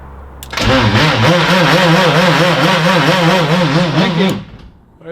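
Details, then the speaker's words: Turbo M20 stroker BMW E30, 2.7L 325e block with 325i head, Schrick 284 cam, GT3582 turbo, first start: engine catches with a wavering, warbling tone over rough idle; suspected starter or flywheel noise, then quiet. "it sound like that it sounds like a [ __ ] starter deal or a [ __ ] flywheel deal"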